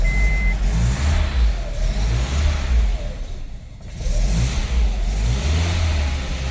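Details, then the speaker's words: Honda CR-V that cranked but would not start, after plugging in the correct temperature sensor on the head, now reading 45°F: engine catches with a slightly uneven note, then settles into a steady, healthy run. Plugs had flooded from the previous sensor reading. "I went ahead and plugged it and now you guys can see it reads 45° fahr and this thing starts right up"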